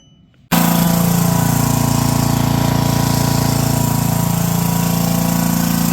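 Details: Brushless 10 hp junkyard generator (about 5,500 W), fed by an electric fuel pump, powering a light and an angle grinder: it catches and settles into a steady, even thump at constant speed, no stumbles or hunting.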